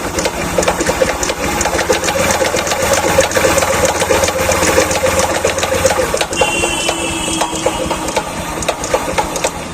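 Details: Bajaj Platina motorcycle idling: fast, loud clattering knock through the engine like a sewing machine; another mechanic diagnosed a broken crank bearing, not yet confirmed; engine to be opened, camshaft checked.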